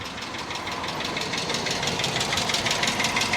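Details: Hyundai Accent, cheap auction car: crisp light tick about three times a second over steady idle; unidentified ticking that didn't go away after starting.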